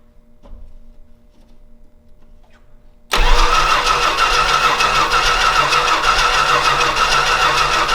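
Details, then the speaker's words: Old Stewart & Stevenson aircraft tug with suspected worn valves, fuel poured into its big flat intake manifold: the starter cranks steadily at about three turns a second with occasional ragged firing, ignition confirmed, but it never picks up or starts. "nothing nothing crap crap on a cracker okay we are getting ignition"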